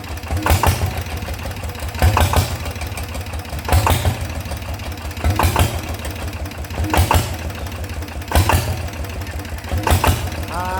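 Low, steady diesel chug with even, strong thumps about every 1.6 seconds, no knocking or misses; this single runs healthy.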